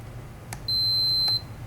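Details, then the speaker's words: Star Trac treadmill Quick Start/Stop replacement keypad, multimeter continuity check across pins before reinstalling: one clean steady high beep under a second; quick start switch (pins 1 and 5) shows continuity and works. "quick start is working and pin two and pin five and my stop is definitely working"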